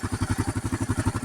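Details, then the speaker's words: 2008 Kawasaki KLR 650 at 19,000 miles, warm-up idle set lower than usual: low thump with a light rattle on each beat, top-end clatter. Owner suspects loose valve clearance; balancer already adjusted, so not blamed. "At least from my perspective. They're kind of loose in the top end."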